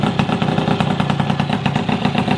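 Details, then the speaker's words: Yamaha F1ZR two-stroke engine at idle before teardown: rough running with an even knock of about eight beats a second over the exhaust, a sound from the middle of the engine near the clutch; the cause is still unknown. "Jadi ada sedikit suara di bagian tengah"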